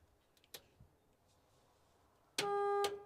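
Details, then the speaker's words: International Scout 80 (1963–65) barn find sitting over 10 years: after quiet clicking, a steady, clear horn tone sounds for about half a second and cuts off cleanly; the horn works. "That's the horn. Horn works, a miracle."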